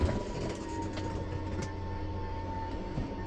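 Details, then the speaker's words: 2014 Forest River Sunseeker 3170DS Class C RV slide-out extending: even electric motor hum, no grinding, then clicking at full extension since this slide has no limiter switch; release button when clicking starts; normal operation. "Right? A little different mechanism. Sliding out. And a little clicking now. Stop. When you hear that clicking noise, you need to let go because it's just going to keep trying."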